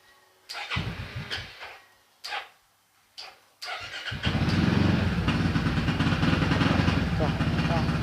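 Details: Yamaha X-Max 300 scooter hard to start: several short cranking bursts before it catches, then a loud, slightly uneven, stumbling idle that won't hold.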